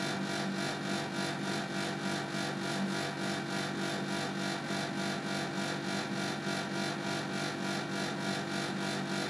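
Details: Panasonic air conditioner outdoor unit (CU): a steady, fast pulsing whoosh about three times a second. This strange rhythmic noise occurred twice in November 2010 and stopped only after about 10–15 minutes; the origin is unclear.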